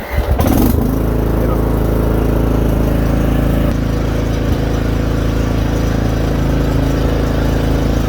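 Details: Craftsman R1000 riding mower, which previously did nothing when the key was turned, now running after seat, brake, blade and neutral safety switches are satisfied: steady even putter at constant speed, no misses or surging; normal running.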